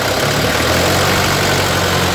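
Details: Isuzu Panther 2500 cc diesel after owner's own setting repair: steady, even diesel clatter at idle with no misses, knocks or surging; running smoothly and healthy.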